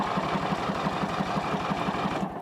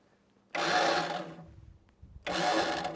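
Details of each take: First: Snapper riding mower, partly reassembled after its starter was removed from under the heat shield, has the starter tested; a quick, even whirring chug at about six beats a second, no grinding or slipping, normal cranking. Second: Old Snapper riding mower, choke on, electric start: two short whirring bursts about a second each with no firing; bad starter suspected, rainwater found trapped in engine.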